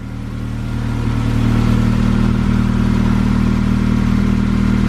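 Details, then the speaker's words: AWD-converted car with new custom driveshaft, open differential, on lift, rear wheels spinning in gear; smooth even drone, steady low tone, no knocking or shudder, no vibration felt inside: normal driveshaft operation. "but back wheel spinning I don't feel no crazy vibration or anything inside the car"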